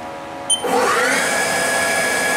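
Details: Haas TL-1 CNC toolroom lathe spindle run forward up to about 1300 rpm, then reversed to 13–1400: a click, then a smooth steady whine with no grinding or knocking; healthy spindle.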